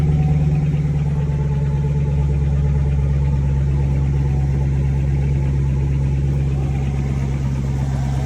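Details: 2014–2019 Chevrolet Corvette C7, manual, after replacing a failed starter that caused a no-crank: the engine starts and holds a deep, even idle with a steady low rumble, no misses, knocks or grinding. Normal idle.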